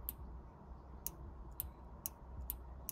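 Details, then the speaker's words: Soft-top latch microswitch on a 2002 Mercedes CLK W208, cover removed, clicking crisply about every half second as the latch is worked. The switch sounds normal; the owner is still chasing a soft-top fault and suspects the switch may not be opened when the top closes. "so that's the one there when you operate in these shots this opens so you can just hear it clicking"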